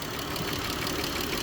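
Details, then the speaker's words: Chrysler 3.6 Pentastar at idle: fast light tick keeping pace with engine speed, louder than owner described; mechanic says all rocker arms need replacing, cam possibly too; oil present, oil cooler also leaking. "for the most part I need to go inad and replace all your rock arms"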